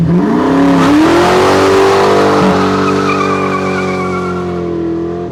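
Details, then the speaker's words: 1997 Mustang GT just fitted with SLP Loudmouth exhaust and BBK X-pipe, before the K&N cold air intake, started on a cold day: deep even V8 burble climbing smoothly with revs and settling without stumbles; no check engine lights, sounds right. "Let's listen to it just idle. It just sounds right, guys. Sounds right."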